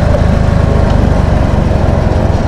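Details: Motorcycle (CT 100) that had been cutting out and running rough despite replaced parts, after carburetor work: small single-cylinder engine with quick, even, steady pulses and no stumbles; problem solved, normal idle.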